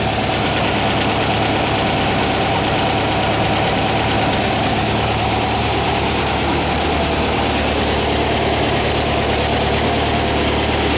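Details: 1959 VW single cab pickup, replacement air-cooled flat-four warming up: steady, even chuff with generator-mounted cooling fan whir, no misses or knocks; normal healthy idle.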